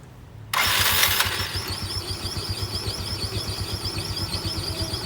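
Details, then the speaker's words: Yamaha Mio scooter CVT before teardown: the engine catches, then a quick, steady "cip cip" chirp rides over the idle, heard as rubbing from a rubber part. "suaranya seperti ini, ada seperti suara gesekan kayaknya sih karet pendelnya ini. Suaranya cip cip cip cip cip cip cip cip cip cip."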